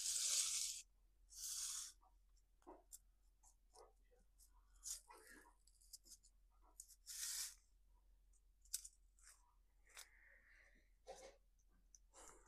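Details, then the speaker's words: Stihl MS170 chainsaw, engine off, used for trenching: hand-turned clutch and sprocket give dry scratchy sandpaper-like rasps from dirt packed around clutch cover and sprocket. "like that's not even sawdust that's just dirt he's been trenching with it wonder if you can hear this the grit it's like"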